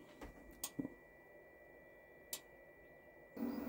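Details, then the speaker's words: Jackery Explorer 500 power station running a pressure cooker: inverter cooling fan gives a quiet steady whir with a fixed high tone over a faint hum; fan normal under load, though the unit trips out after about 1.5–2 minutes with a warning triangle. "you can hear the fan whirring away in the um from the inverter it's tripped the jackery out again so it lasts for about a minute and a half two minutes"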